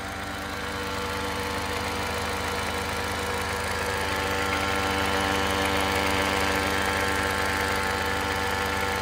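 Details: Toyota Crown Athlete (210 series) 8AR-FTS at idle: a steady, motor-like buzzing hum from the left side of the engine viewed from the front, lasting about a second after shutdown; source not yet traced.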